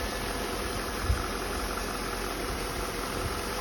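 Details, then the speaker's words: 2006 Volvo XC90 V8, 333,000 miles, idling after PCV valve replacement for codes P0171 and P0174: steady, smooth low hum with no stumbles or misfires and no check engine lights. "and i was able to install the pcv valve and you hear it running no misfires no hiccups no check engine lights"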